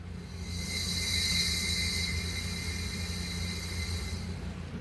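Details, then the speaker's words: 1966 Mustang under leak-down test with cylinder five at TDC on compression: a continuous loud rushing hiss at the oil filler cap as air escapes past rings that aren't sealing. "or in this case, if the rings aren't sealing, you'll be able to hear it coming out from the oil filler cap. And this is what that sounds like."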